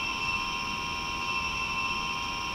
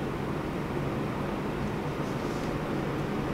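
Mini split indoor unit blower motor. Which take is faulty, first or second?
first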